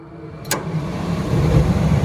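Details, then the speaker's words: L.B. White farm heater after replacing corroded connectors and terminals. A sharp click, then the hot surface igniter lights and a low burner roar builds and holds steady; the flame stays lit, so the flame sensor is working normally. "There we go, we got a flame. And it should run those flame sensor that's right here. That would have shut down already if that flame sensor was bad."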